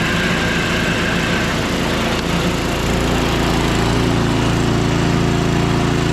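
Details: Small single-cylinder engine running after priming with fuel shutoff opened: steady even beat around three thousand rpm, settling smoothly; runs fine.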